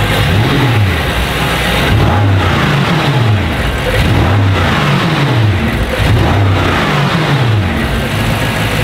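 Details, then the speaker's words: Cheaply bought BMW M5 F10 from Qatar, V8 biturbo, in a workshop: repeated throttle blips with revs rising and falling cleanly and evenly, no misses or knocks; runs well under throttle, though the fan's positive cable is oddly routed and chafed. "aber auch beim Gas geben lief jetzt gut"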